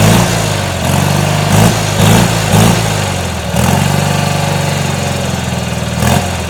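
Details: Garden tractor with a Magnum engine, 50-inch deck and power steering, after a cold start: single-cylinder thump settling into a steady, even idle with a few throttle blips. Starts and runs cleanly; normal idle.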